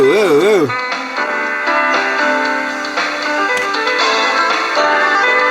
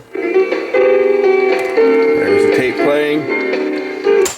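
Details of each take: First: Old Sanyo M7015 boombox cassette playing music with a slow, regular pitch waver each belt turn, wow and flutter from a drive belt flat-spotted after long storage; fast-forward and rewind also lack torque, and a belt change is planned. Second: Sanyo M7015 AM/FM cassette boombox after repair and reassembly, music plays at a steady, even pitch with no warble, dragging or dropouts; tape deck playing back properly.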